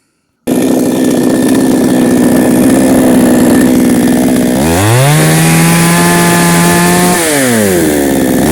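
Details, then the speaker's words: Foresta chainsaw with 50 cm bar, old, that lost power and stalled under load: after turning mixture screw about 1.5–2 turns to enrich, holds strong steady pitch cutting wood, revs cleanly free, no bogging; fixed. "як ми бачимо тяга з'явилась і вона вже може Виконувати свою функцію"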